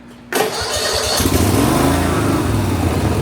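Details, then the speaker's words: Snapper lawnmower started with choke and some gas, still leaking oil heavily but now running well after earlier problems: brief crank, then the twin catches at once and settles to a steady, even run; healthy start. "It's still leaking oil like crazy, but now it starts up, and it starts up really well. Give some choke, give some gas."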